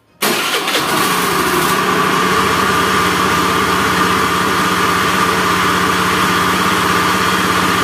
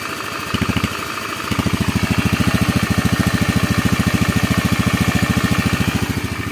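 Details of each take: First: Honda Beat FI scooter engine: catches, then harsh gravelly rumble with a steady whirr like a helicopter, worse when revved; worn left crankshaft bearing. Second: Honda Beat FI scooter after engine rebuild, previously rough helicopter-like noise from a worn left crankshaft bearing: even, steady putter without growl or knock; normal idle, though the CVT still needs parts.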